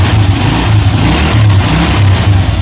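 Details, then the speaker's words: After greasing the dirty starter armature on a double-starter setup, engine idles steadily and the earlier squeak ("ngek") when pressing the starter while running is gone; normal engagement. "Nah, dengerin suaranya. Tuh, hilang kan? Ngek, yes, gak ono ya. Tes lagi tadi. On. Tuh, ngeknya yes, hilang."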